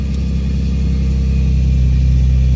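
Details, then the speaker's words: Nissan 350Z VQ35 V6 idling just after new battery fitted to cure misfire (alternator, plugs, coil packs already replaced): low steady idle with an even beat, no stumbles; misfire gone. "sure sounds better [Music] it doesn't sound like it has a misfire anything anymore"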